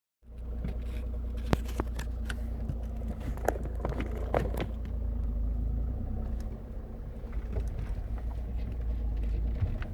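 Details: Opel Astra H 1.7 CDTI 100 hp diesel at idle: sharp, uneven clacks over the low drone, present cold and also warm, rising with engine speed; engine knocking, cause not identified.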